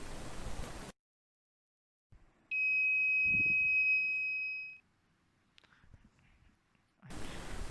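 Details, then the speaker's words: Arduino flood alarm prototype with ultrasonic sensor: a hand near the sensor triggers a single high, piercing buzzer tone held about two seconds; flood alarm buzzer sounding. "You will hear the buzzing as I get my hand close to the ultrasonic sensor."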